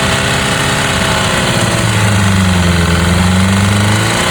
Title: Honda Cbr 600rr pc37 Strange Noise cam chain new here oil pressure is good also new pistons ring